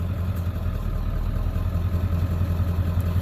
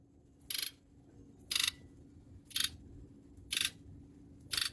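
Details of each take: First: 1997 Ford F-250HD 7.3L Power Stroke diesel that intermittently shudders while driving, no codes stored: idle clatter with slightly uneven beat, about 2.5 pulses per second, suggesting a weak cylinder; cylinder contribution issue suspected, injector waveforms being checked. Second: 1997 Ford F-250HD 7.3L Power Stroke with intermittent shudder (suspected cylinder contribution issue, no codes), key on engine off injector buzz test: eight sharp, even clicks, all injectors firing evenly and healthy.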